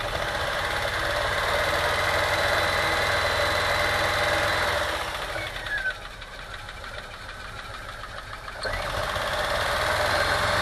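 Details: VW T3 with 2.1L engine running rough while driving, with uneven stumble and backfiring exhaust pops; ignition scope showed lean burning on cylinder two, no smoke leaks found; misfire from a burnt exhaust valve.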